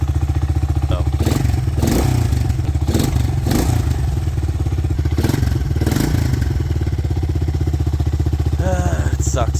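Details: 1985 Yamaha TriMoto 225DX with a new throttle setup, a little choke, exhaust oily from Marvel Mystery Oil; even single-cylinder putter with crisp throttle blips rising and settling cleanly, runs well; top-end rebuild planned this winter.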